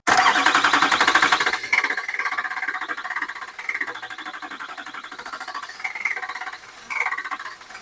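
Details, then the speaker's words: California LB7 diesel truck being revived, start attempt with fresh diesel: a loud burst of running for about a second and a half, then the rumble drops into quicker pulsing as it loses fuel prime. A loose fuel line was tightened, but prime is still lost; heavy smoke. "But basically what happened was there was a fuel line right here that was loose, so I kept losing prime. But then I tightened it, and I still lost prime, but that doesn't leak anymore."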